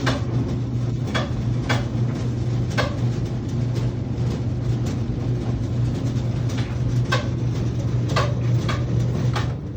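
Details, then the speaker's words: Whirlpool/Maytag dryer taking longer to dry, clothes damp: steady low drum hum with irregular sharp clicks about once a second; blower wheel slipping on motor shaft, removed using step drill bit and 16mm socket. "You've heard the noise. This is the issue. The blower wheel is rotating on the shaft. It is not spinning."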